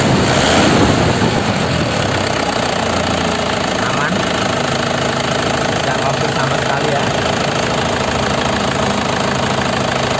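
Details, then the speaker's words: 2005 non-turbo LS diesel (Isuzu), manual, single owner, at idle: steady, even, crisp clatter with no misses, heavy knocking or blow-by ("ngobos"); dry underside with no oil seepage; healthy engine. "Istimewa ya lur ya, nggak ngobos sama sekali, sehat, suaranya renyah, mesinnya masih sehat,"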